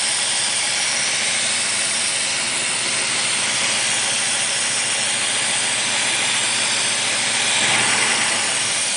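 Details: 1985 Mercedes-Benz 380SL at idle: loud steady hiss over a quiet engine, a major vacuum leak at the rear and driver's side of the fuel distributor, apparently under the air metering manifold; cause unknown.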